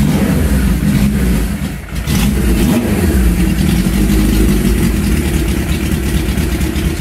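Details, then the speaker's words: Suzuki GS850G cafe racer with 4 carbs, cold start: four-cylinder catches and runs, revs surging and sagging unevenly while the choke is held. Idle not yet adjusted, so it needs choke when cold. "We haven't quite got the idle adjusted yet, so you got to kind of hold the choke on it, but we had it out riding, and there's a video of here riding it when we did have it adjusted."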